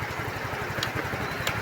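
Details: Yamaha Mio i15 scooter brought in for a no-start with a blown fuse; lights and horn working. Steady, even low putter at idle with a regular beat, no knocks or misses; idling healthy.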